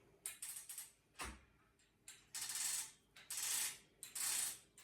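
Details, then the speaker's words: Gammill Classic Plus longarm quilting machine after loading the quilt: short bursts of light, even metallic ratchet clicks as the rollers are wound back and forth to check for consistent backing tension. Normal ratchet clicking. "I like to just wind it back and forward a bit just so that we can see how it's all moving along and make sure we get that consistent tension."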